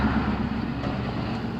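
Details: Engine of a Vic after fixing P0302/P0202 misfire codes by replacing the spark plugs and the bad cylinder 2 fuel injector: smooth, even low hum at idle with no stumble or skipped beats, misfire gone.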